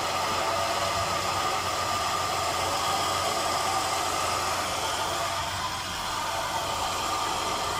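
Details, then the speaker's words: Truck AC compressor after lubricant treatment for squealing: steady quiet hiss and hum at idle with no squeal or chirp; compressor running smoothly. "entonces y ya no se escucha nada nada el ruido"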